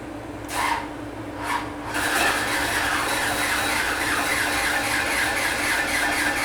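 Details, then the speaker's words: Ex-NASCAR Chevy SB2.2 V8 on a dyno, rockers backed off: a steady whirring crank with a thin constant tone and no compression chuffs, as there is no valve action; the valves need to be run (adjusted). "you may have back the valves off oh God are you serious it's possible"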